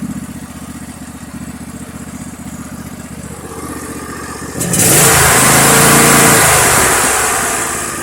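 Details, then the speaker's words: Poulan riding mower started two days earlier, deck works, charging system not working: steady, even single-cylinder thump at idle, then a clean rise in pitch as the throttle opens; runs smoothly. "But anyway, we got that one running. And I got this one running. I just started this one 2 days ago."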